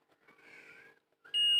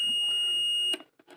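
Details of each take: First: Ahuja 250 W amplifier with water damage: the continuity buzzer beeps steadily on one power transistor whichever way the probes are placed, while the others stay silent; that transistor is shorted and was replaced. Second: Ahuja 250 W mic-set amplifier under service: multimeter set to continuity buzzer on a transistor; a clean steady high beep lasts about a second then cuts off, showing a conducting junction, while other test points give no beep.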